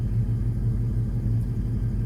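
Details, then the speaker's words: Ford Mustang with straight pipes and no catalytic converters (check engine light on), harmonic balancer reportedly shaking off; loud low open-pipe burble at even idle, no misses or knocking; oil and battery normal; idles fine. "But yeah, everything's running good. All the good oil, battery normal,"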